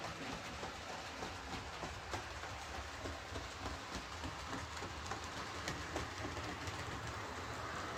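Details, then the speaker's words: Bachmann Webb Coal Tank 0-6-2 model locomotive pulling three coaches: steady rolling with a repeated clunk about three a second on curves. Traction fine, no stalling or derailing. Deformed wheel flange striking the rail, less in reverse. "So that's pulling coaches fine, there's no traction issues, it's not stalling in points, it's not derailing, it's just making a clunking noise on the curves."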